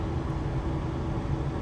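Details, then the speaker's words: After replacing a faulty igniter in a modern gas furnace, the new igniter glows and lights the gas with a nice blue flame; the burners give an even, steady low roar with no popping or rumble, so they are running normally. "That's the igniter glowing. There we go. Ignited that gas. Nice blue flame."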